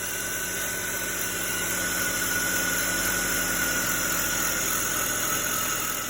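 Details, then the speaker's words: 2005 BMW X5 (E53) petrol engine idling with the air duct removed: a steady high-pitched whine holding one pitch, from a brand-new alternator fitted 4-5 days earlier that is again defective, to be replaced. "I started the car after removing the duct, and you can hear the whine."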